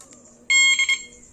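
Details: CR7 motorcycle alarm with 5-second starter/injection delay just installed; three quick high chirps, one long then two short, confirming the remote start command.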